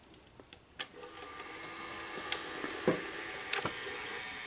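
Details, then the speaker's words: RCA VKT 650 VHS VCR after power supply capacitor replacement, gooey belts replaced with a temporary rubber band; quiet clicks loading then soft steady whir, tape playing normally. "oh hey there it goes she's playing she's working okay"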